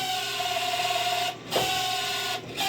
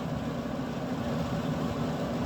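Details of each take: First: Camp Chef SE Smoker Pro left in the rain, auger previously jammed: steady mid-pitched auger motor whine dipping and stuttering unevenly; running but not sounding as before, cause not yet found. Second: Camp Chef SE Smoker Pro, left in the rain, after repairing the auger that would no longer spin, starting up: steady, even low hum with no knocks or catches; fan and auger drive running smoothly. Normal running.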